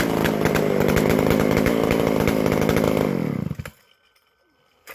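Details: McCulloch Super Pro 125C chainsaw; fast even high rattle, loud raspy exhaust from missing muffler gasket, then clean shutdown; a good-running saw.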